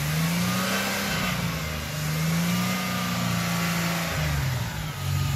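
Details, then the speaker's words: 2000 Toyota 4Runner with a non-working fuel pump, unrun for a year and a half, running on a DIY fuel vapor system: revs up and settles to a clean, steady note after clearing some liquid gas sucked into the intake. Running normally. "all right so it cleared up after that it just apparently got a little bit of fuel in it"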